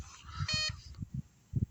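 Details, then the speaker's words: Home-made off-grid solar test rig: inverter gives a single bright warning beep as one 300 W bulb (about 288–293 W drawn) pulls the battery down to 11.7–11.8 V; the low battery voltage is the issue. "you can hear the beeping on the inverter the inverter is reading or it knows that the voltage is too low so the battery is the issue here"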